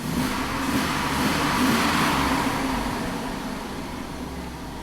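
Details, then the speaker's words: 2001 GMC Sierra V8 with bank 1 misfiring under load, power-braked: revs rise and fall with a lumpy, uneven note and poor throttle response; all oxygen sensors read rich, short-term trim -10%, coolant 109°. "Power brake it a little bit. So that throttle response is really crappy."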